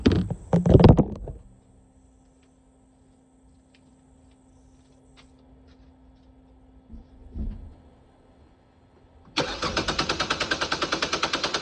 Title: NO START! Car Cranks All Day But Won’t Fire Up